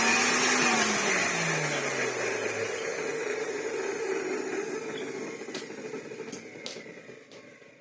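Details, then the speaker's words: 1987 Hoover Sensotronic System 20 vacuum cleaner motor running down: whine with a rough grumbling rush as it slows; one worn motor bearing, motor also clogged with a lifetime of carbon dust. "Yeah, one grumbly bearing, but otherwise, you know, again, just a lifetime of carbon dust and juice."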